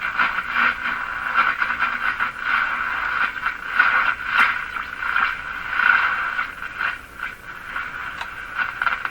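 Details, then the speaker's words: Silvertone model 3351 five-tube radio at power-up, tuning across the band: scratchy rubbing crackle that swells and fades as the dial moves; noisy tuning, suspected tuning capacitor short or grounding spring contacts, not confirmed. "Something rubbing. Sounds like a short in the capacitor. Because here you can hear it picking up noise signals."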